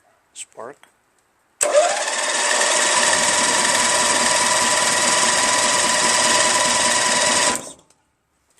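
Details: 1996 Craftsman LT1000 42 hydro lawn tractor, newly installed replacement starter motor test-cranked before spark plug and gas tank refitted: even, brisk whir about four turns a second for six seconds, no dragging or grinding; starter cranks healthily.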